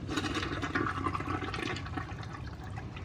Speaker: Working toilet that flushes without buckets of water. So that's gonna be nice.